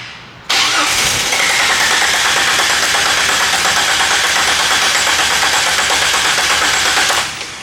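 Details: 1998 Jeep Wrangler 4.0L inline-six that died at a stoplight and wouldn't restart; long steady cranking that catches briefly and fades away; spark and injector signal present, failing fuel pump starving it.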